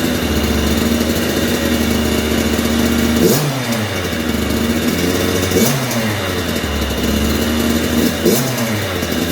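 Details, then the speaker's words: 2009 Kawasaki KX85 two-stroke, KX100 big wheel conversion, after top end job with rehoned cylinder and new ProX piston: crisp idle with three clean blips climbing and dropping back smoothly, no bogging or rattle; runs healthy, slight coolant leak, owner suspects overfilled tank. "so it sounds like it's running pretty good it is leaking a little coolant I don't know if I overfilled the tank"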